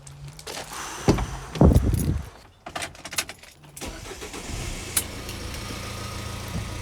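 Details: Ford Transit Connect van that suddenly wouldn't crank, after the overlooked blown fuse was replaced; short cranking bursts with key jingle, then it catches and settles into a steady even idle; normal crank and start.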